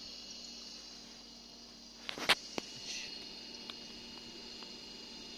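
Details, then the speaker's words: Refrigerator after fix: three stacked washers fitted on a rear compressor screw and retightened; previously noisy, now runs quietly with only soft hum and fan whir, no rattling or buzzing. "Evet gördüğünüz gibi ses kesildi daha önce gürültülü çalışan buzdolabı sessiz şekilde"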